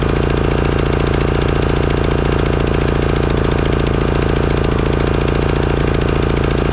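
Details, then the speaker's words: Craftsman/John Deere riding mower that surged and shut down, after replacing the clogged Walbro carburetor: steady, even engine beat at constant speed, no hunting or surging; carburetor was the cause. "okay well it looks like it was the carburetor all along"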